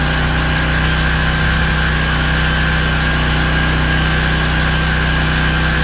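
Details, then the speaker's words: King Canada Powerforce 1500W generator, no load, governor screw adjusted to about 120 volts: steady even drone with constant hum, no speed hunting; normal no-load running. "110, and we're almost there. About 120. This is roughly where we want to be."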